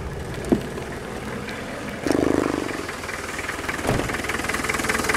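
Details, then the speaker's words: 2.5 TD turbo diesel with bonnet open, which always starts nicely, catches and settles into a steady, even clattering idle with no misses; breather puffing badly and rocker cover gasket leaking oil; normal diesel idle. "does actually start quite nicely always did"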